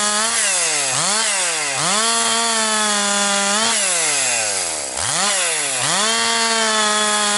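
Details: Husqvarna 262XP chainsaw after rebuild, breaking in bucking dry, dusty pine firewood; compression up, decent pull. Crisp high scream dips into each cut and snaps straight back to full revs; normal cutting under load.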